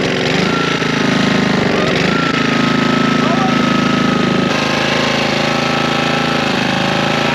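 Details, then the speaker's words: Curbside Honda push mower after its loose flywheel was fixed and damaged flywheel key replaced: running hard with a rough, uneven knocking clunk about four times a second over the exhaust. It still knocks and the source is unknown. "I can hear that clunking is it not going to run now"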